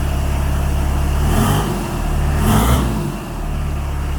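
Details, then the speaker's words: Custom off-road Chrysler van just restarted, running with no exhaust line fitted: two clean rev blips rising and falling smoothly, with no knocks, rattles or whistles; the engine sounds healthy. "pas de trucs bizarres rien du tout voilà il n'y a pas de y'a pas de délire chelou niveau du moteur ces objets de gueuler parce qu'on entend mal mine de rien ça fait pas mal de bruit"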